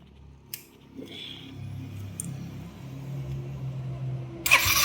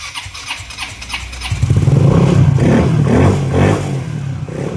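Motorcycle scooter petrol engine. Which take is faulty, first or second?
first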